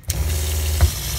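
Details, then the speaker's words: Shurflo 4008-101-A65 water pump in an Escape travel trailer keeps humming steadily after the tap is shut because the pressure switch is set too high; fixed by turning the Allen screw counterclockwise until it shuts off. "so I shut the water off but you can hear the pump still running"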